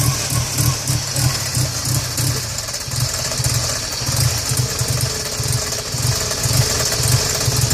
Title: Rough idle